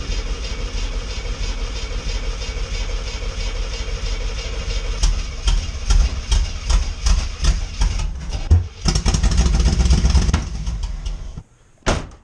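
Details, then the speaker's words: 1985 Corvette C4 L98 Tuned Port Injection, cold start in snow after engine work: long uneven cranking chug about two to three beats a second, never catching; spark plug wires likely on wrong distributor terminals. Crank no start, likely from misplaced plug wires. "maybe a timing issue maybe it's fuel injector something oh i think our numbers on the distributor are off"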